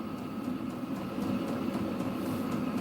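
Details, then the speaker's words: Diesel-powered heater, newly installed in a dog kennel: steady fan hum and smooth, even burner roar, no ticking, rattle or surging. Running normally. "diesel powered heater that's the intake to"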